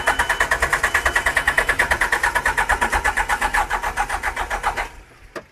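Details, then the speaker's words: John Deere 310G backhoe diesel, abandoned, cranking on new starter: strong even cranking about 140 beats a minute for five seconds, no firing; crank no-start with no fuel delivery, a blown 10-amp fuel pump fuse found. "Got to get juice to that pump to make it work. All right, we found one 10-amp fuse that was blown."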